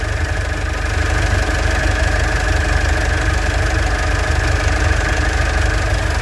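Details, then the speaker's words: 2011 Mitsubishi Strada Triton Exceed automatic 4x4, 4D56 diesel at idle: steady even diesel clatter with low constant rumble, no uneven knocks or surging, sounds very smooth; normal healthy idle. "untuk mesin eh Strada Triton exit ini terdengar sangatat halus tidak"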